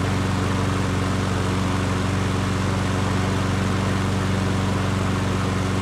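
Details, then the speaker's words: Yard Works self-propelled push mower, wrongly claimed seized, after sitting on its side, blade refitted: steady, even single-cylinder drone at constant speed, no knocking or rattling; running healthy. "so there you have it guys um I had to adjust the cable here for the self-propelled system once I did that and the self-propel worked perfectly"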